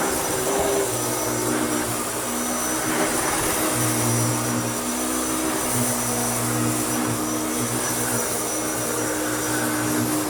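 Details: Restored Hoover Turbopower U2724 upright vacuum with a new belt, cleaning sand from a stiff wall rug: constant whirring motor, steady hum and faint brush-roll drone against carpet; normal, strong and even running.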